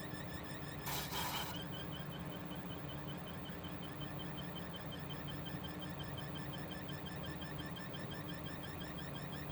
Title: EVGA SuperNova 1050 G fan squeal/noise issue